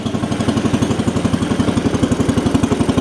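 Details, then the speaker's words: Cub Cadet 70 garden tractor, three-speed, in first gear before drive repair: small single thumps steadily near four beats a second, unloaded; tractor quits moving unless clutch pedal held, drive clutch slipping. "off of it too much and when you let off of it it stops moving push it to stop"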